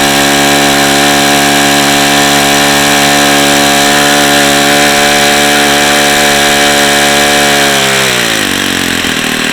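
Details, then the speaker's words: Saito FA-45 model four-stroke engine with bad bearings, 5% nitro fuel, running hot at about 8,700 rpm when it should exceed 9,500: high steady buzz sagging near the end; compression holds, just a tired, worn engine. "okay it doesn't seem to be losing much compression because it's hot I think it's just a tired engine is all"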